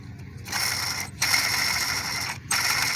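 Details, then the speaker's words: 1997 Pontiac Grand Prix GTP supercharged engine, supercharger belt off, pulley spun by hand during radiator hose replacement: rough, gritty rattling whir; owner says the pulley doesn't sound too great, worn bearing suspected but not confirmed. "it doesn't really sound too great but yep"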